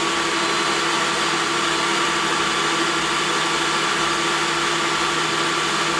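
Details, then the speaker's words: Craftex CX13HC planer, bearings not top notch, cutting: steady, even cutting roar with smooth motor hum and no knocking or chatter; normal planer cut. "you heard both of them this one or the DeWalt runs exceptionally smooth even when doing a decent cut"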